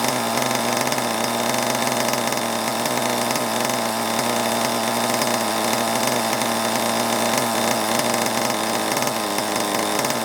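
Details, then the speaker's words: Long-unused HPI Savage 21 nitro RC monster truck engine, unknown 20–30% nitro fuel, idling: steady high buzz sagging as revs drop, loading up with fuel and oil, close to stalling. "you can always tell if it's starting to get a little bit sort of um a little bit blocked up sort of thing with oil or fuel the the revs are getting too low"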